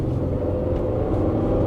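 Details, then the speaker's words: VW Routan with steady cylinder 6 misfire for a year or more, on test drive after repair: deep, smooth engine pull under heavy acceleration with no stumbling; misfire gone, running clean under load. "I can already tell it's it's repaired because there's no misfire it was a pretty consistent misfire"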